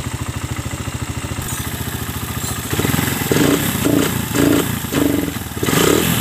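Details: Suzuki Satria FU, otherwise stock, just fitted with a new PE 26 carburetor and air filter: small single pops evenly at idle, then revs rise and fall cleanly without stumbling; sound is good, engine runs healthy.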